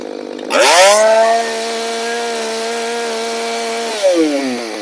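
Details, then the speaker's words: Modified Echo CS-590 chainsaw (exhaust muffler opened/gutted, carb bypass blocked, limiter caps removed, low-speed screw about 1¾–2 turns) cutting big oak: snaps to a high, steady scream through the cut, drops back cleanly; running strong and healthy under load. "from the low speed and uh it's working good you know just want some fuel Muffler is basically empty I guess just to get some back pressure but uh yeah definitely definitely a different animal for sure"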